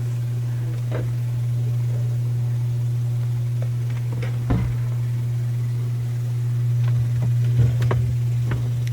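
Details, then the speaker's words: Miele dishwasher during the fill cycle: a steady low buzzing "machine gun" rattle with sharp clicks. The fill valve is probably not fully opening and chatters, causing slow fill and the intake/drain light; the fix is replacing the fill valve. "yeah this dishwashers just making like a machine gun noise during the fill cycle and then the intake drain light comes on so the valve is probably not fully opening it's just kind of going back and forth here's the sound it's making"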